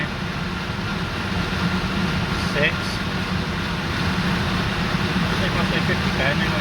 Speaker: Doesn't appear to be any noise. I'll tell you what, I've never been so scared watching it spin around that fast. I mean, the balance isn't great on it, but it isn't making the screeching noises the last one did, so I guess it's okay.